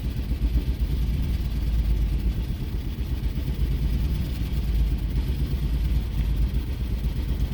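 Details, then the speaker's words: 2006 Jeep Commander 4.7L with P0300, engine computer replaced: low uneven lumpy rumble that never settles, stalls if throttle released; misfire, no misfire data read; throttle body or idle air suspected, cause unconfirmed. "engine is messed up I'm trying to get some reading of the the engine misfire I don't get it"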